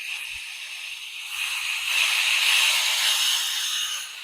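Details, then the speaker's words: DeWalt air compressor with a faulty pressure regulator, tank above about 150 psi, motor off: a steady high-pitched hiss that swells then eases as air escapes around the regulator and pressure drops; air leak, cause not confirmed. "And that's losing pressure now. So if I leave it right about there, I hear a leak, but I don't hear that much pressure."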